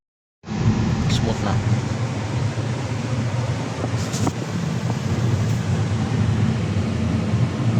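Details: Hyundai Sonata after fuel filter replacement and gas tank cleaning, done for stalling and a check engine light: steady, smooth low hum at idle with no misses or stumbles. The engine runs normally.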